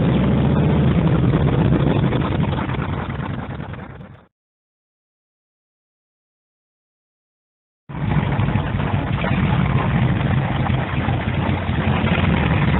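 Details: Cold start of a 1948 Harley-Davidson EL Panhead V-twin after two full kicks on full choke, with the carburetor readjusted and timing set: slow, even thumping idle with no misses or knocks; normal idle.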